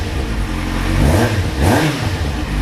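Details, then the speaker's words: Kawasaki Z750 four-cylinder after replacing the exhaust header rings and welding the header inlets: clean, smooth throttle blips with no ticking, puffing or the earlier rod-knock-like noise. Normal revving, fault resolved. "já não faz aquela barulheira e batendo dá aquela impressão de estar tá batendo pe ela sei lá o que"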